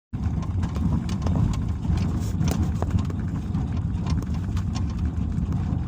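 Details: Suzuki SX4, 90,000 km, knock from front left over small bumps on gravel: dull, irregular knocks over road rumble; the hood rattled because the left rubber bump stop near the fender sat too low; raising it cured it.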